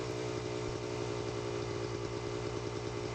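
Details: Pit360 two-stroke bike with Lectron carb: ragged low-rev running with hollow uneven rattle about three per second; severe piston slap from worn piston, leans out when warm; owner plans new piston and Nikasil-replated cylinder.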